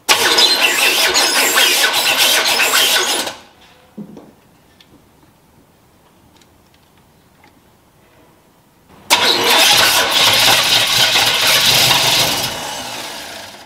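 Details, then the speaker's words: 1977 Chevy Nova small block, not starting after months parked, new battery and starter ground jumper: fast cranking, then a second crank that catches and sputters; ignition timing too retarded, being advanced step by step to fix no-start. "so it is finally trying to start here it's just me out here in the pole barn so i'm having to make like some timing adjustments go try it make another timing adjustment go try it"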